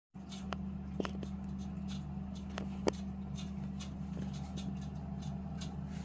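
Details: Lenox furnace running with a steady low hum broken by sharp irregular ticks and heavier knocks (slugging) every second or so.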